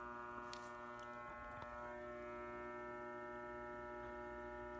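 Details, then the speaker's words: Fluorescent lights in a doctor's office waiting room: steady, even electrical buzz with a high whine layered over it, unchanging in level; buzzing fluorescent fixtures. "loud buzzing noise that's coming from the lights."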